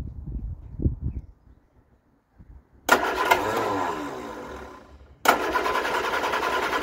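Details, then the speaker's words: Vauxhall Viva after fitting a Weber carburettor: it cranks a few times, catches and races high without settling, dies, then restarts at high idle; owner suspects the ignition timing needs redoing and plans new spark plugs. "the engine does seem like it it was gone when I first kicked it over it was racing like the clappers"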